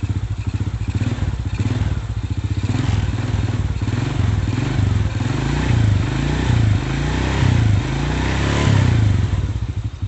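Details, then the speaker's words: Honda Astrea/Supra single-cylinder idling after repairing a loose camshaft bearing seat without machining: steady, even low thump with no top-end ticking or clatter; engine now sounds smooth, quiet and healthy. "Hai sekarang sudah harus tuh suarane adem banget ya"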